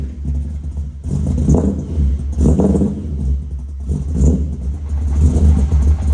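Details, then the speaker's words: Cold V8-swapped BMW E30 after conversion to Audi R8 coil packs and wiring fixes, still untuned; deep, lumpy idle with uneven pulsing and surges, owner says it smooths out once warm while the idle is being raised. "i know it sounds rough it almost sounds like it has a giant cam in it but once again the engine's still cold once the engine actually warms up the idle smooths out"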